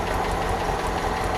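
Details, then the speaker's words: 1969 Opel GT stored 20 years, first start, no coolant system fitted: a lumpy, uneven idle with a regularly missing beat, running on three cylinders. A spark plug lead is arcing to the body, and new plug wires are needed. "yeah runs pretty good on three cylinders I just saw this arcing against the side of the body"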